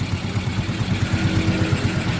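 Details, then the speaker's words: Yamaha Mio M3 scooter with a very dirty throttle body and a tampered idle stopper bolt: small single-cylinder idle with uneven firing and a wavering level; unstable idle, cause suspected but unconfirmed, possibly the ECU. "Dan sekarang sudah mau langsam, meskipun tidak stabil."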